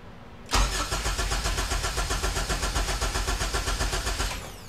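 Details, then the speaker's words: K24 engine swapped into an EK Civic hatchback that sat for years: even starter cranking, about four beats a second for nearly four seconds, never catching. No fuel; a missing jumper suspected. "again again oh one more try there's no fuel"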